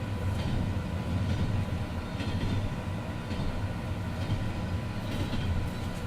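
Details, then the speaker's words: Train rolling over a bad rail weld after the rail was ground: a repeating clack about once a second. Nothing bounces now, but the sides of the weld are suspected to still catch the wheel edge. "down still making noise as you can hear but nothing's bouncing anymore so I think it's what it is is they took the surface off but where the bad weld is is still a little bit on the sides where that uh wheel Edge that goes around still catching that"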